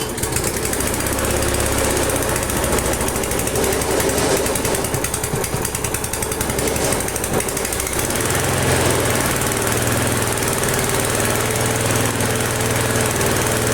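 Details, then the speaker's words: Flea-market lawn mower with Briggs & Stratton 5 HP engine, primed three times, half throttle: fast steady chatter holding even with no stumbles, running great despite rusty junk frame. Normal engine running. "That is the nicest running engine on the crappiest, ugliest frame I have had through my hands here."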